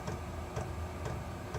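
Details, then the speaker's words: Chinese all-in-one diesel parking heater in shuttle bus RV conversion, turned down to lowest setting 1, mic facing unit: steady soft fuel pump tick about twice a second over low fan hum, calmer, mostly air noise; normal running on low. "It's a little calmer in here. Unit's not making so much noise as air noise."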